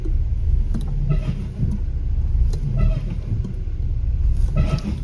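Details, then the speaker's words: Audi A8 D5 after spring replacement and alignment, reversing then braking hard: dull separate clunks, about seven in five seconds, over low road rumble; suspension bushings shifted and working loose from incorrect alignment setup. "Короче, сдаю назад, задняя передача, и торможу резко. Звук классный, да? Салинблоки гуляют, сопротивляют"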